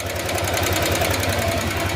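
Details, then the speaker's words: Honda Click125 V3 scooter idling, still smoking right after a shop repair: loud, fast, steady metallic ticking from the top end, a worn valve guide causing the smoke; needs valve guide replacement. "Lalo kung ganyan tunugan tunog bulb guide uusok at uusok yan siya sa ano tambutso."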